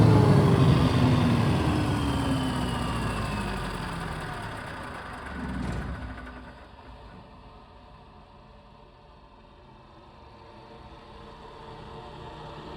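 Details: Caterpillar 3412 V12 diesel after sitting several years; fuel pump halves' bolts snugged after fuel was dumping into the valley. Warmed to about 160 on the gauge, it idles evenly with no knocks or misses, then winds down smoothly; sounds healthy.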